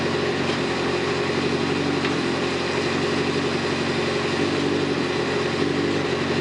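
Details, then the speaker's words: Kawasaki ZZR 600 four-cylinder bike, replacement engine just rebuilt and swapped in, first run warming up with stainless 4-into-1 exhaust; even steady idle with smooth consistent note, no knocks or misses, coolant temperature rising; normal healthy warm-up. "Cooling temperatures coming up. Engine sounds good. I love this stainless 4 to1 exhaust I put on this bike."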